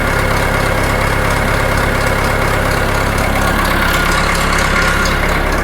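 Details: John Deere 400 engine, fresh rebuild, after head bolt retorque and valve lash adjustment, with new oil pressure sender plug: steady small-engine idle with an even, unhurried beat, no knocks or rattles; oil pressure looks good, running healthy.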